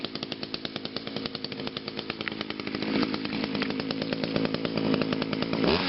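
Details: Echo two-stroke on a cold start after sitting about three weeks, first-pull start, crisp firing of about three pops a second, then a smooth climb to a high even rev with no attachments fitted; normal running.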